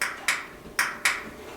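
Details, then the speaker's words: Dryer that won't start, being checked: door latch switch under the lid, with the lint screen and top removed. Four sharp, crisp clicks about half a second apart as the door shuts each time: the door switch actuates normally. "can hear every time the door closes, it switches it on, and it needs to be switched to work."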